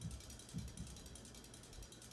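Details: 1980s Hunter Custom Home 52" ceiling fan with walnut blades, running at about medium-high speed: light ratcheting clicks that repeat as the fan turns. Owner wishes for tape to stop the clicking, cause unknown.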